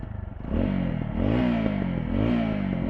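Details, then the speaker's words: TVS Apache 200 after repair of detached inner pipe in silencer, checked after riding a couple km warm: engine blips smoothly, exhaust note clean with no rattle, buzz or leak puff; normal exhaust, noise gone. "Okay भाई आप सुन सकते हो बिल्कुल भी आवाज नहीं ए रही है"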